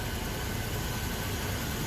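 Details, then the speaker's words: Old hot rod V8 shop truck with intermittent fuel-fouling of the #8 spark plug causing seven-cylinder misfire, owner suspects a sticking injector; currently running pretty good, smooth steady idle with no stumbles on all cylinders. "good afternoon YouTube this is Chuck and as you can see I'm back fiding with my old truck again as you can see it as well is running pretty good"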